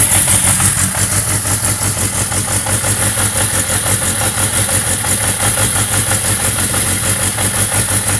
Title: 1991 Yamaha XJ600 rough idle